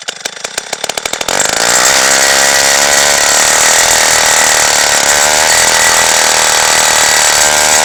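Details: 1953 Zeiss two-stroke ice auger revived after a spark fix, drilling through ice estimated at over a foot thick: quick pops catch into a high buzz that sags and surges under load; poor idle needing the throttle feathered, carburetor tuning suspected.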